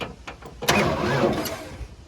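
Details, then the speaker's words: 1994 Ford F-150 with the 4.9 inline-six, sitting for years and said by the previous owner to be blown: a few light taps, then a short whirring spin without firing. It turns over but won't start; a snapped crankshaft is suspected. "Because it's like, it's weird. It sounds like it's spinning over, but the thing won't."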